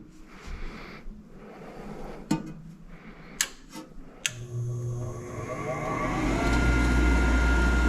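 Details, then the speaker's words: Nine-year-old Trane forced-air gas furnace, newly replaced draft inducer on first power-up: sharp relay clicks, then the motor hums up smoothly to a steady speed with an even pitch; inducer working normally, though the furnace did not fire because the gas valve was left off. "new draft inducer is working perfectly but our furnace is not firing"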